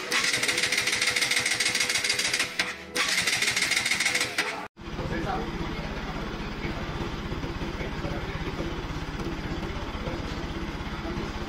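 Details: Bajaj NS200 single-cylinder after cylinder-head rebuild for starting trouble and low-rpm stumbling blamed on low compression: carbon cleaned, new valves, guides and seals, valves adjusted, compression raised. Even idle thump, regular firing, no misses or tapping; sounds healthy.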